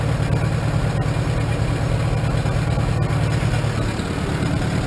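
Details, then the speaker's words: 1947 Farmall M tractor with new Farmhand loader, first start after two to three weeks sitting: steady low chugging idle, mostly even, a slight hiccup possibly carbon; running pretty good, needs fine-tuning. "like it's running pretty good I get some fine-tuning sounds like it's got a slight hiccup"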